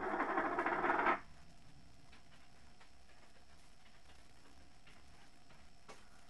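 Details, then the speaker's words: MSI GT70 2OD laptop, about a month old, external mic behind the laptop: after loud startup burst, a thin steady high-pitched whistle stays under the quiet fan hum from boot; fan suspected, replacement fan hoped to fix it. "it's developed a bit of a whining or whistle noise on the fan"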